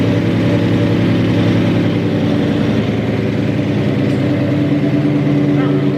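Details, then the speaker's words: 2003–2004 SVT Cobra "Terminator" supercharged V8, first start after full engine rebuild, idling only: even idle with a light fast metallic chatter on top, holding oil pressure, slightly smoky; owner suspects belt, unconfirmed. "But guess what? It's running. Hear a little bit of a rattle. Could be something with my belt. I don't know."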